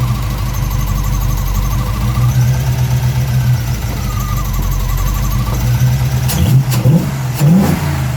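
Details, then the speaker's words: 1965 Pontiac Parisienne with a rebuilt 283 Chev V8, Turbo 350 and Holley Sniper EFI, timing just adjusted: uneven, rising-and-falling idle with a light ticking chatter over the rumble; owner thinks the surging idle is just in the settings. "yeah okay if you can hear the chatter still here a little bit we are not too bad it's doing a little bit of a Sergio idle thing I think that's all just in our settings"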